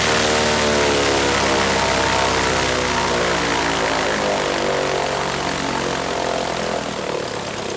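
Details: Franklin 165 aircraft engine test run after repairs following a blown cylinder: strong, even run-up, smooth steady propeller drone with no misses or knocks; sounds much better, healthy.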